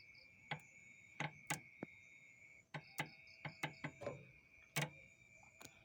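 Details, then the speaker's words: Sharp, irregular clicks, about a dozen in six seconds, as the idle-up solenoid is wired directly to battery positive while checking for RPM drop with the AC on; the solenoid switch works properly. "Nah, karena tadi ada bunyi cetek-ceteknya, berarti bisa dipastikan switch ini berfungsi bagus ya guys, masih bagus, masih berfungsi dengan semestinya."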